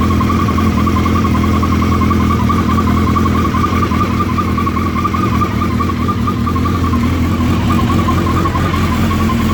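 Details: Suzuki Hayabusa running from completely cold: steady high whirring tone riding above the exhaust, same at any temperature; cause unknown.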